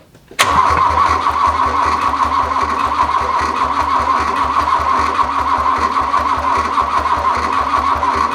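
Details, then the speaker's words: Abandoned 1981 VW Rabbit, sat over 20 years, cranked on heavy-oil two-stroke gas from a jug: steady even cranking beats, sharp pop and ragged sputtering, and a small fire; not catching. Cause unknown. "that sounded like a fire is there fire anywhere there is fire i think we've got it out"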